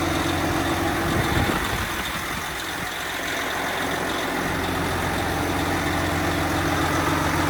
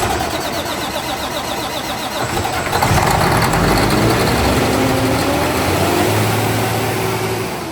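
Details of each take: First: Freshly rebuilt 12.7 L Detroit Series 60 diesel, after electronic runaway traced to possible moisture arcing harness pin connectors and cleaned: steady, even low rumble with no hunting, surging or misses. Normal idle. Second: Freshly built Detroit diesel with PDI performance parts on first start: engine catches and immediately climbs in revs without easing back, held high until shut down; electronic runaway.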